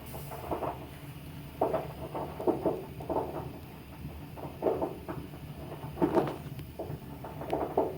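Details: Tank water heater firing up: irregular soft pops and knocks over a low hum from sediment in the tank; fix would be flushing the tank.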